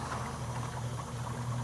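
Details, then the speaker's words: 2011 Range Rover with suspected failed head gasket idling during BlueDevil treatment: bubbling, gurgling coolant under heavy pressure, compression believed blowing into the cooling system with a hot pocket; not confirmed. "the coolant's not circulating well if it's not circulating Blue Devil can't get through it so say it's a good possibility I thought there'd be you can hear it gurgling"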